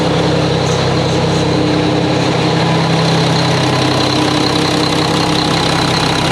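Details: Mack truck diesel engine just reassembled, first start before road test; fluids checked, no leaks seen. Big diesel settling into steady even idle, firm low beat, no misses or knocks; sounds good, normal idle.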